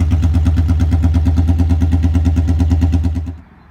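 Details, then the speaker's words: 1982 Honda Magna V45 VF750C after an oil change, choke zip-tied open: deep, loud open exhaust bark with a steady pulsing beat, then it cuts off. Runs fine but badly needs a muffler, none fitted. "She's loud as a banshee. So I think I better put a muffler on there before I take her out."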